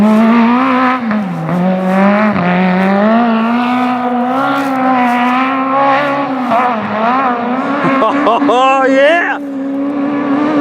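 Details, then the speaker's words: Magnum super buggy race car with new carburetor, on track at speed: engine note rises and dips unevenly through the middle revs with a bobble and flutter, a flat spot; carb adjustment to follow. Mid-range hesitation. "still sounds like it's got a bit of a flat spot a little bit of bobble like mid-range so we're going to go in and see what my old man thinks we may need to do about that"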